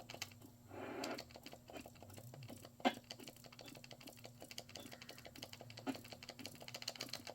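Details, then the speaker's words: Sega CDX with its laser swapped in from another unit, seeking from play to track 78: quick light ticking and clicking as the sled seeks, no grinding or stalling; normal CD drive seek, tracks loading quickly. "So let's play, and then we'll go all the way to track 78. I can already hear it loading."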